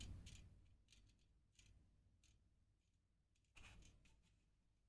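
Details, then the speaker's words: Rear wheel of a Ribble R872 road bike with Chinese 50 mm carbon rims, spun by hand off the bike. A light click-clatter about every half second as it turns, from a broken spoke end loose inside the rim. Broken spoke rattling. "I'll grab the rim and have a spin up sounds like SS inside the rim constantly fall into lowest"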